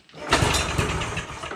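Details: 1978 Polaris Cobra 440 two-stroke snowmobile, sitting about 20 years, first start after getting spark, key on: engine catches quickly and settles into a smooth, fairly quiet run with no rattles or misfires; normal start.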